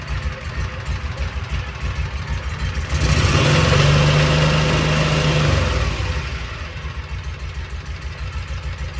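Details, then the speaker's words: 2012 Kawasaki Mule 4010, liquid-cooled V-twin, 250 hours, after replacing a broken spark plug on a dead cylinder that had loaded up with fuel: steady, even idle, clean rise when revved to the floor, smooth return; both cylinders firing normally. "Oh yeah, she's running good now. Uh, mash the pedal all the way to the floor. Runs like a Cadillac."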